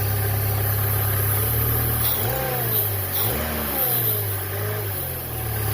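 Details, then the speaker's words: 2005 Chevrolet Cavalier 2.2 four-cylinder, 322,000 miles, P0301 misfire, after new intake gaskets, oil pressure switch and crank sensor: even idle, then clean throttle blips rising and falling smoothly without stumble or misfire; running a lot better. "oh yeah a lot [Music] better yeah a lot better all right well I call that a fix and uh car seems to be running better"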